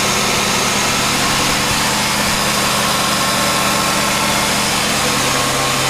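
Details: 1991 GMC Sonoma ST on its first start of 2020, the empty tank filled with 5 L of low-ethanol Shell V-Power 98. Idle holds steady but with a rough, slightly uneven beat and hiss. Not running smoothly, cause not apparent.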